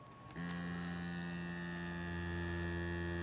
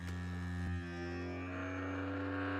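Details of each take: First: DeWalt 20V MAX Grabo suction lifter on plywood: vacuum pump hums steadily and never cycles off, holding only 5.3 PSI instead of over 12, as wood grain lets air leak past the seal ring. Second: DeWalt 20V MAX Grabo suction lifter: steady low vacuum-pump motor drone pulling to about -12 PSI, no catching or pulsing, shuts off at target; pump healthy.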